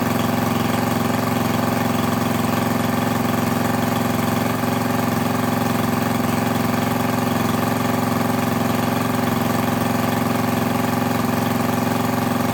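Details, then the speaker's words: Craftsman lawn edger with a 140cc engine, reassembled after cleaning dirt from the carburetor and intake: smooth, even buzz at a steady low speed with no misses or surging; owner unsure whether it should run faster. "I might have to do a little bit of digging see if it's supposed to run at a higher speed than that or not but I'm gonna assume no"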